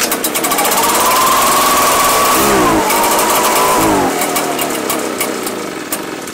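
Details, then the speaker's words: Two-year-old Echo PB-755ST two-stroke backpack blower that bogs and dies when throttle is applied. Revs climb to a thin whine, sag, recover briefly, then die. The fuel smells funky, pointing to stale fuel. "i sold it to this guy brand new in the box two years ago and it's here for a runs but bogs down when we apply throttle"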